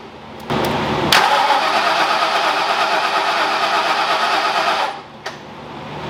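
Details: Ford Foxbody V8 freshly rebuilt in one day, first run after late-night injector and ground troubles: barks into life and holds a strong, even, busy run before dropping off; runs fantastic, no oil leaks, normal running.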